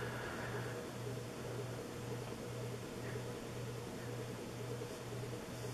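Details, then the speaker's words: 1980s Sanyo 132 cm four-blade ceiling fan, made in Japan, running about 120 rpm: quiet steady low hum with faint whir, not silent; owner suspects the ball bearings make the noise. "And it has a audible humming sound too."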